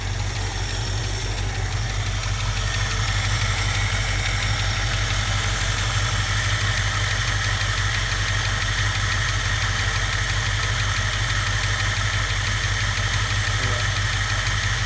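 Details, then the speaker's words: 1967 Mustang convertible V8, parked since about 1994 (29 years), after all rubber fuel lines replaced: steady, even deep idle rumble with no misses or surging until shut off, though smoking badly; owner assumes gaskets are bad. Normal idle. "all right so we replaced all the fuel lines on it all the little rubber pieces and as you can see it is running"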